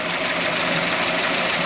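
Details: 1998 Toyota Tercel with a dead cylinder 3 injector and the cylinder 1 injector also unplugged for testing: ragged, uneven idle close to stalling, running on only two of four cylinders.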